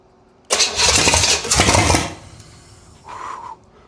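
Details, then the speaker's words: 1971 Buick 455 big block for a 1970 Skylark GS, first start before installation: loud catch and rough, throaty run of about a second and a half that dies away; normal first start, brief run. "Oh man. Very excited. Super happy to have heard that pop off like that."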